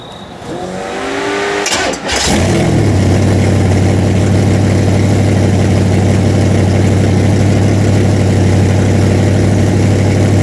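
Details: Freshly built 406 small-block Chevy V8 in an S10, first fire-up during break-in: starter cranks briefly, engine catches and settles into a steady, even idle with a smooth deep rumble; normal idle.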